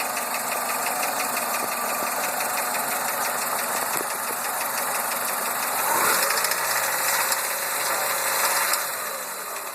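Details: Chrysler PT Cruiser petrol engine at idle (about 103 rpm shown) with a steady light knock, roughly three taps a second, over a busy hiss; engine knock.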